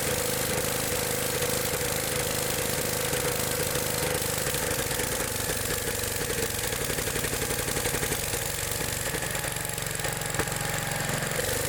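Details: Old Gravely small engine with a stumbling, uneven note and irregular misses about three a second. The points arc when revved and it runs badly at high RPM despite carburetor adjustment; worn points and condenser are to blame.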